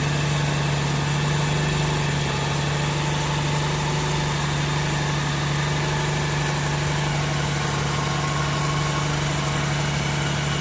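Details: 1994 Mercruiser 4.3LX V6, warm at about 130, fresh high-test fuel and new fuel-water separator: steady even drone, tach about 900 but sounds faster; idle suspected high, engine stalls after a minute or so, owner suspects heat.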